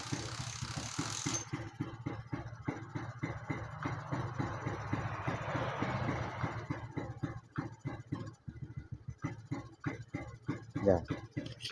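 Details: Suzuki Satria motorcycle fitted with an aftermarket (non-original) regulator/rectifier: small single-cylinder idle with uneven low putts that never climbs in revs on throttle.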